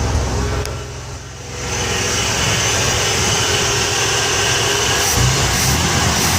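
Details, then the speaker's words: Ford 300 inline-six converted from EFI to carburetor, full 2.5-inch exhaust, just started: deep loping tractor-like exhaust beat at steady idle with a slight rev; runs evenly, normal running. "she does run in it sounds pretty decent it does sound like a tractor though I have to admit"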